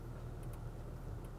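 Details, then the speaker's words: 2016 Toyota Tacoma 4x4 TRD Sport: a few light, sharp clicks over a steady low idle as the transfer case shifts from 4-wheel low back to 2-wheel drive, normal. "And there you go, you can hear that clicking, and it means that it's back to 2-wheel drive."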